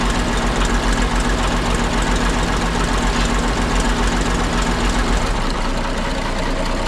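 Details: Ex-military 1959 International dozer, left at a scrap yard for months, on fresh batteries: after running a couple of minutes the smoke cleared. Even, deep diesel idle with steady firing and no knocks or misses; sounds healthy.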